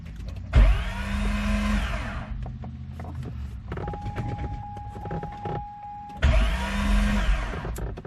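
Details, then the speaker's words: 2005 Chevy Corvette with a freshly built motor and new tune, on pressing the starter button: a high free-spinning whir twice with no cranking; the starter teeth were found locked into the flywheel. "well they sounded more like a starter issue than the motor let's go get a wrench make sure the motor's still turning over and try this again"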